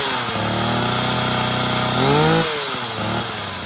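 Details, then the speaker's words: Tanaka THT210s two-stroke hedge trimmer, cold start on choke after carb refurb for a non-starter; steady buzzing with clean, even firing, climbing when blipped and dropping back smoothly: normal running. "it'll be a cold start and we'll see what it runs like i've got that on um choke prime it has primed pretty well"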